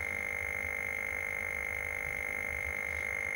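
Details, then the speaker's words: Atari 1040STFM with its keyboard unplugged: a steady, unbroken high-pitched tone near 2 kHz with a faint low buzz underneath; it stops when the keyboard is plugged back in. "Let me plug the keyboard back in then to stop that blinking noise."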